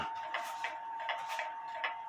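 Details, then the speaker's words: Antique Japy Freres French bakers clock (c.1880–1900), level one way but not the other: ticks in uneven pairs; not quite in beat. "now the clock as you can see is level but that way not quite level this way the clock is not quite in"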